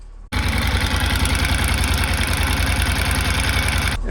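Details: Honda NC750X twin idling: loud, busy metallic clatter over pulsing exhaust from a failed cam chain tensioner, a repeat tensioner issue that began in Montana.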